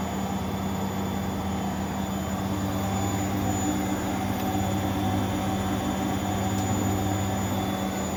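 Steady even drum rumble with a constant low hum at high spin speed, no banging or grinding; spinning properly.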